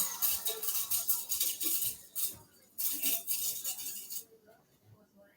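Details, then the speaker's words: Bissell Powerforce Bagless 6579-2 upright vacuum, first run: uneven, fast hissy rattle about three bursts a second, then drops away; debris suspected inside the motor fan, motor still works. "so yeah I need to strip this thing down to the motor and clean out whatever is rattling around inside the fan but it does work"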